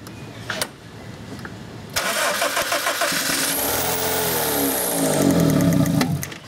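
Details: 2001 Honda Civic 1.7L: cranks, catches, runs rough about four seconds, then stalls. Spark is present throughout. The timing belt was installed incorrectly; the fix is resetting the timing belt.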